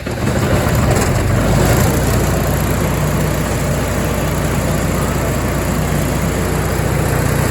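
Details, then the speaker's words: MEP-802A diesel generator bought at auction, after fixing no-fuel fault by unplugging fuel level switch; warm, a little over 160 on temp; steady low diesel drone, no misses, knocks or hunting; running healthy. "things are looking a lot better currently and I did run this I cheated I forgot I was supposed to be videoing to see it's up a little over 160 on temp everything's running really good"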